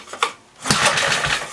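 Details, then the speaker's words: 1976 Briggs & Stratton 3 hp on Tilly rototiller, not run for years, tank and carburetor cleaned, fuel dribbled down carb and choked: one pull, catches and sputters about a second; starts first pull, fuel leaking. "oh fire the first polar well we got gas leaking everywhere"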